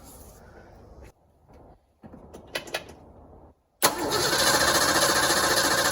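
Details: 1986 Ford Mustang GT, long-sitting, under a quarter tank, fuel pressure gauge fitted: pump primes several quiet seconds, then engine catches into a loud, busy rough idle; owner suspects bad fuel pump or pump hose in hanger assembly, not confirmed.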